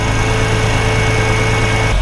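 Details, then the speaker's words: 2004 Porsche Boxster 986 with code P0492, cold start: the secondary air pump gives a steady vacuum-cleaner whine over idle for the first minutes, then cuts off abruptly. The vacuum system holds with no leaks, and the pump is running normally. "so basically they said this thing's supposed to sound like a vacuum cleaner for the first few minutes when you start the car when it's cold and I can hear it running okay it just now kicked off"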